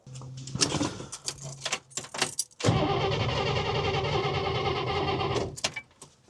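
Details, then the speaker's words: 1961 Buick LeSabre Nailhead V8, start attempt after fuel line was disconnected; clicks then steady cranking that won't fire, owner suspects air bubble in fuel line, ether tried; later found likely low on gas. "Yeah, it might have created an air bubble in the whole line. But we got some ether."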